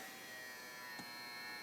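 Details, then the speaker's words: AIWA TP-724 tape recorder fast forward/rewind, other functions working: thin steady motor buzz with faint hiss and no speed build-up; fast forward struggling, slipping idler drive traced to a bent lever and slack idler wheels. "yeah we're going to have to fix that fast forward rewind yeah it's struggling"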